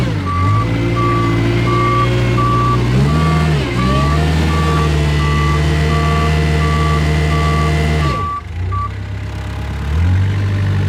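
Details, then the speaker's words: Kubota 520 hydrostatic wheel loader with a 10,000 PSI gauge on the hydrostat motor line. The diesel labours under steady load with the reverse alarm beeping about four times a second. Reverse reads about 4,000 PSI with the tires not spinning, so drive is weak. "So, in reverse, um, I was reading 4,000 PSI on the gauge and the tires were not spinning."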